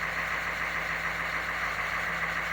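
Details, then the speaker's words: 1987 three-quarter ton 4WD Suburban, 6.2 L diesel with Banks Sidewinder turbo, after glow plug swap; started at 74°F on factory glow timer, afterglow working, no double cycle. Steady, even diesel idle, no misses or stumbles, no smoke. "perfect afterglow was hitting everything started up no double cycle successful"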